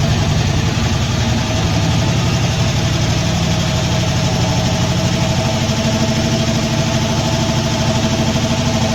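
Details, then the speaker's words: Poly 318 V8 moved from a 1966 Dodge Coronet into a 1964 Dodge D300, first start in the truck after storage: steady idle with faint quick ticking from a couple of noisy lifters. "got a couple of noisy lifters see if those end up shutting up here"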